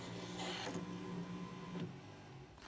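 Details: VW Golf Mk1 GTI aftermarket electric retractable aerial, test run: smooth motor whir with a couple of clicks as the mast retracts when the green wire is removed from battery positive, red still connected; retracting properly.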